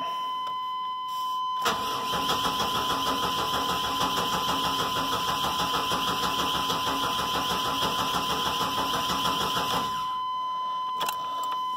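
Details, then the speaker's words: Chevrolet 1500 4.3 (owner says 86), new battery, over half tank fuel: cranks well, steady even cranking about eight seconds, never catches; fuel pump not heard priming, owner suspects failed fuel pump. "Cranks pretty good. Yeah, just over a half a tank of fuel. I do not hear the fuel pump."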